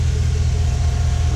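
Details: Truck that failed to start, idling with the multimeter reading 14.3 V across the battery, so the alternator is charging correctly and the battery is found to be at fault: deep, steady, even idle rumble with no knocks, whine or misses.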